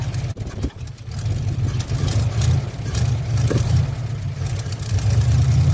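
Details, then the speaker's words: 1957 Chevy 5400 low cab forward with swapped 1955 265 V8 and freshly rebuilt manual-choke Rochester 2G carburetor: low, uneven, lumpy rumble that won't settle as it revs, running rich because the choke was left on. "What I did was quite silly. I had left the choke on."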